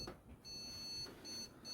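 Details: Desktop PC giving a high, thin POST beep code of one long then two short with no display; memory contact was suspected but ruled out, and the beep points to a failed motherboard.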